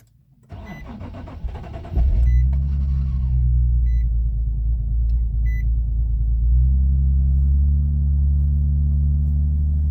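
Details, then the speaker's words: Nissan 370Z Nismo manual, cold start after sitting overnight without priming the pump, fuel gauge drops out on startup: starter spins about two seconds before catching, then low slightly uneven idle; fuel delivery issue suspected. Extended crank and rough running. "Okay, so you guys did hear the little bit of extended crank, kind of hesitated. And even when it started, it wasn't running great."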